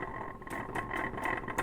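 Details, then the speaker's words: Jaguar XFR-S supercharger turned by hand before its rebuild: loose metallic rattle with a dry whir from heavy play in the two front bearings; replacement of those bearings recommended, and the rear gear bearings have very slight play. "However, there's a lot of play in these front bearings, and that's making the charger sound quite nasty. You hear it rattling?"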